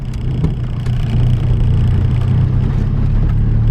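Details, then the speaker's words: Nissan 240SX on coilovers, after tightening the loose front passenger lock collar that had thrown off preload and caused clunks over small bumps: steady engine drone and road rumble driving slowly uphill on a very rough road, no thumps; suspension sounds solid. "far so good no thumping sound which is good even though i'm driving slow but either way when i would drive slow i would hear like a loud thump so now that we got that fixed"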